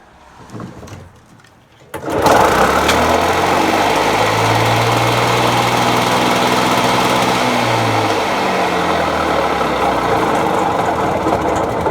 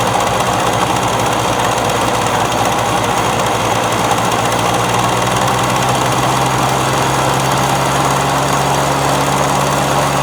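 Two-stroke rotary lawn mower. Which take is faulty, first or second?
first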